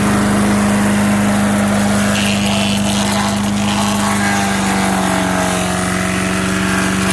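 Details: MTD 5 hp chipper/shredder, owner guesses 1990s-built, running after carburetor kit install: steady engine drone dips in pitch each time branches feed in, then climbs back as the load eases; chipping normally, normal running under load.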